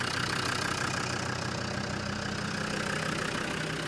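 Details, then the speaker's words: Land Rover Defender 90 TD5 after a new Denso starter motor and earth straps were fitted: even, quick diesel clatter at idle, steady in level with no misses or knocks, a healthy smooth-running engine. "That sounds a lot better. That's purring away."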